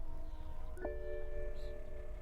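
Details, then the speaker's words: 2010 BMW 535i GT at auction, unknown loss: key recognized and dash lights on, but only a few soft chimes and no starter or cranking sound. The engine will not crank; the rear air suspension pump runs afterwards. "all right well something's going on here we have some illumination so let's just give her some power she's not wanting to start at all"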